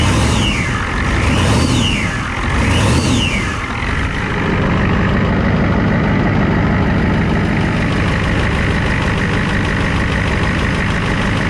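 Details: 1994 Ford F250 7.3 IDI turbo diesel, CAT injection pump, idling after cold start without glow plugs at about 80°F humid; steady even clatter, loud open exhaust, smooth; normal diesel idle.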